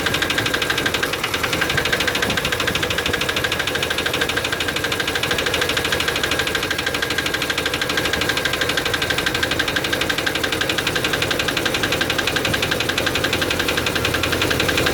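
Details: Chevy 350 5.7 L V8 idling with quick steady metallic ticking, rattly diesel-like sound, started after the intake manifold gasket was replaced; attributed to low lubrication.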